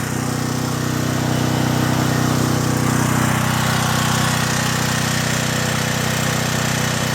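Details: John Deere/Briggs and Stratton generator, repaired (carburetor cleaned, fuel lines replaced), running unloaded while output voltage is checked (about 114 V per leg): even, steady drone at constant speed, no misses or knocks; healthy.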